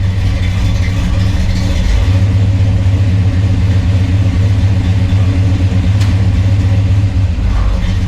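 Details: 1963 Chevrolet Bel Air V8, 4-speed, on jack stands after replacing flywheel, clutch, clutch fork and rod for chatter and hard warm shifts: deep, steady idle with an even beat, no chatter or grinding; healthy.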